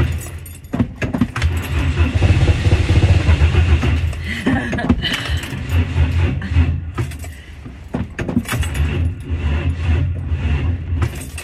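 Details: Temperamental 1959 Ford Consul, cold start with heavy pedal pumping: repeated bursts of slow starter cranking with uneven chugging and no clean catch; hard starting.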